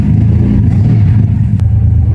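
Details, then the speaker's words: Hemi 265 six with a newly fitted Mirabito Performance head but no cam yet, on its first start after the head install, runs with a deep, steady, even low rumble and no knocks or misses as oil pressure comes up; normal first start. "I just want to see if the little bit of oil spurts out the top there, and there's no water or nothing in it, but to see if she runs."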